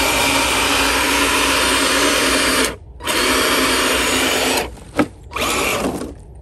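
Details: FS Racing Freemen RC crawler, stock except 3S battery: steady high-pitched electric whir with brief stops and restarts after the motor, likely fouled by mud, came back to life; small brushed motor spinning freely and evenly.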